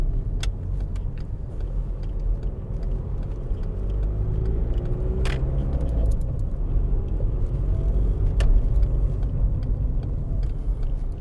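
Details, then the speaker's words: 2006 VW Golf Mk5 2.0 TDI BKD diesel, cold, driving after MAF sensor clean for rough running that was worst when cold: pulls steadily with no stumbling or surging under road and tyre rumble; normal cold running. "Yeah. Cold motor. This is where it used to play up."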